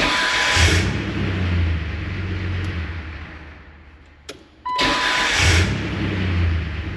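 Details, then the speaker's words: 2001 Jeep TJ that previously would not start, after revving to charge the battery: engine runs and dies away, then a quick crank and it catches at once into a steady idle; clean second start. "I think we are okay."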